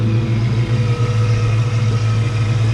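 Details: Project 4TO8 Mustang with new oxygen sensors: steady, even engine note with smooth low hum and no knocks, ticks or misses; sounds great.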